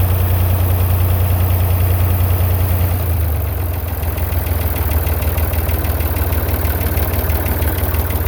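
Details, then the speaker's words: Massey Ferguson 35 Perkins diesel tractor after cheap partial rebuild: steady low idle with even chug, dips slightly then settles; running well. "I've done a few little things but she's running now she's out from under the barn"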